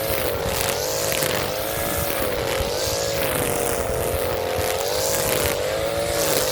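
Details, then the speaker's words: Echo SRM-230 two-stroke string trimmer, idle for years, now running on a replacement carburetor and new filter and cutting weeds in hot weather: steady, high buzzing note that wavers a little under load, clean and strong; normal running under load. "Back from the dead. You would have never thought this would turn back on as bad as shape it was."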